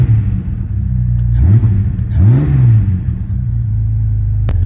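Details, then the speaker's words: Jeep Grand Cherokee WJ feared blown up, restarted after dead battery jump: deep, steady idle with two quick revs climbing and falling back cleanly; no knock, tap or rattle, cause of earlier failure unknown. "but for now the Grand Cherokee is back. It's running. It's not blowing up and I have no clue what happened."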